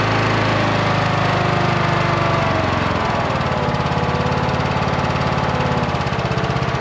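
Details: Cub Cadet lawn tractor mower after repairs, started following an oil and filter change to fill the filter: small single-cylinder engine settles to a steady, even beat, no knock or miss; running normally.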